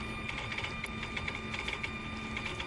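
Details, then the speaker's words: Mercedes SL600 throttle body driven by a customer's E-gas module with ignition on, pedal untouched: irregular light clicking and thin whine as the throttle jumps on its own; the module is faulty. "Just so you know, look at the throttle. She's jumping. And it opens, but it's not good. I'm not touching anything."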